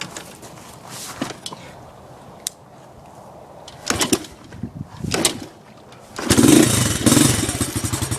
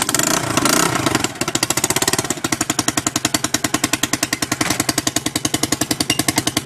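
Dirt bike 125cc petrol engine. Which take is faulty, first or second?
second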